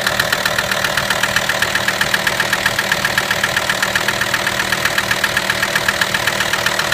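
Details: VW T5 with AXD diesel engine at idle: a sharp, very even mechanical knock about four times a second over the diesel idle. A mysterious knock whose source has not yet been found.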